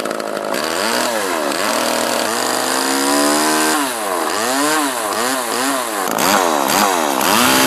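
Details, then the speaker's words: Homelite LX30 (Super 2-type) two-stroke chainsaw after a carburetor kit (K10-WAT) replacement; revs up and drops back cleanly with an even high buzz and no stumble, so it runs well. "it seems to run good now I put the air filter back on over here"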